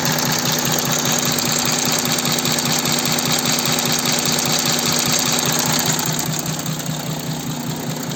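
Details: Audi Q7 4M 3.0 TDI diesel with 60,000 on the clock, idling: busy, crisp crackle about two or three a second over the steady clatter; abnormal engine noise, source unclear, needs further checks.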